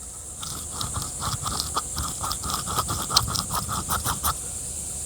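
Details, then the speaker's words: Black+Decker 20V string trimmer with grinding and heavy wobble: motor and hub turned by hand near the microphone give a dry gritty scrape catching in uneven pulses; worn top bearing. "Right, this top bearing is spanked, and this bottom bearing, if I can get my light involved."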